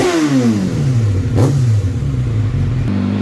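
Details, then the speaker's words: Suzuki Bandit 650S motorcycle, sat unused for two years, with a seized clutch. It is started on choke with a trickle-charged battery and the clutch held in. The engine catches and revs, then drops back to a smooth steady idle with no knocks or misses, so it is running normally. "That's cool. It's running. Oh yeah, we still need to check the clutch."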